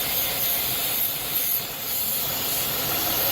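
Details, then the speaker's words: 3.6 L engine idling higher than normal (P0507 idle speed higher than normal, check engine light on); steady sharp air hiss over faint idle from a vacuum leak at the PCV valve, noise changes when hoses are moved. "uh-oh that's it all right ladies and gentlemen that is why this 3.6 L is idling higher than normal I have a vacuum leak right there at the PCB valve"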